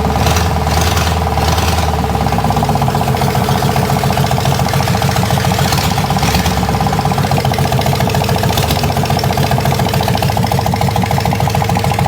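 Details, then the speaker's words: 401 Buick Nailhead V8 in rail dragster, first run: rapid regular knock over loud lumpy idle keeping time with revs; rod knock, connecting rod striking the oil pan. "'s got a rod knock in it foreign 's knocking she is knocking you hear that well that's not good"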